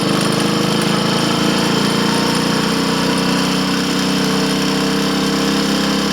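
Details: Triumph Tiger Cub (Bantam Cub) single on road test, engine of unknown rebuild history, timing and valve clearances known right; strained rattly thump uphill, labouring and pinking; rider suspects carburetor needle should be raised.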